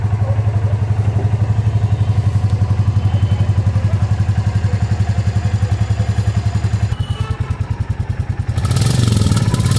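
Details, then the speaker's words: Royal Enfield Classic Reborn single at 768 km, brought in for smoking, started on first self-start after plug refitted during timing-chain work; even, steady thump about four beats a second, no knocks or ticks; healthy idle. "एक ही self में गाड़ी start हो चुकी है और इसका sound सुनिए आप"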